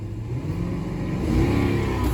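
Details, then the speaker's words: 2009 Infiniti FX50 V8 after replacing a coil pack for code P0302: revs rise cleanly and evenly with no hesitation or stumble; healthy response. "yeah no stumble or anything it sounds good"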